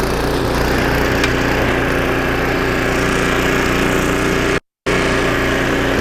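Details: 25-year-old snowblower on its first test after a carburetor rebuild (new needle and seat, carb kit), choke used to start: steady, even single-cylinder drone holding pitch while blowing snow, no misses or surging. Normal running under load.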